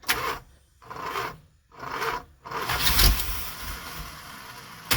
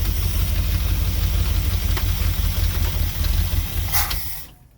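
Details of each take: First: Mopar 440 big block in an old motorhome, fuel pump suspected dead, carb condition unknown: starter drags through slow, heavy turns with pauses, then engine catches and idles steadily; slow cranking but starts easily. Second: Mopar 440 big block in an old motorhome, running on carb with no fuel from tank, fuel pump suspected dead; cranks slowly and hard yet starts easily, deep even V8 rumble holds steady then dies as fuel runs out, runs smoothly.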